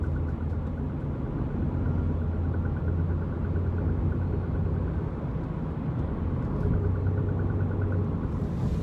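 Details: 2009 BMW 128i while driving: steady rumble with faint regular light tapping from the rear, increasing with acceleration; rear knock under acceleration, cause unknown.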